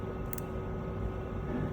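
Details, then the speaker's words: Fuel injector bench test: a faulty injector gives a sharp double click when it switches off, where a healthy injector gives one clean click. A bad injector can make ECU tuning go wrong. "Ni on dan off. Dengar off dia ada dua klik."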